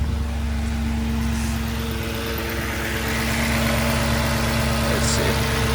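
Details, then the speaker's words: Audi S4 after a low-oil-pressure warning repair, warning light now off, engine completely cold with some coolant burning off: a smooth, settled cold idle with an even beat and a faint steady tone above it, nothing out of place. "so that's a little burn off from the coolant that uh got in uh but we what we are gonna check is make sure there's no leaks all right guys so the engine sounds good uh it's completely cold so i want you to know that"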